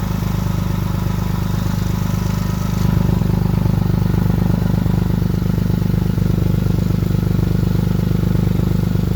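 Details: 2006 Lexus GS300 with dual exhaust, recorded while driving: a loud, raspy low drone with a steady pulsing beat that rises with throttle, from a bad exhaust leak. The DIY repair failed and the leak needed welding by a mechanic.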